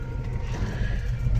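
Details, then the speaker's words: 2007 Jayco Melbourne 29D Class B RV, rear slide-out room extending at the push of a switch: a steady, low, unbroken motor drone with no knocks or grinding, so the mechanism is running normally. "see that slide out is going out"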